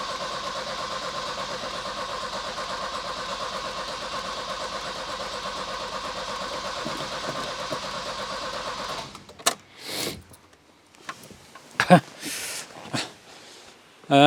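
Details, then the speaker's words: Volvo 240 starter spins evenly about nine seconds, never fires, after tank refitted with new fuel lines (ran earlier from a remote petrol bottle with old fuel); flooding suspected, plugs to be pulled to clear fuel; good bright spark. "Well, that'll be a no then. Still won't go. I genuinely think it could be just flooded now."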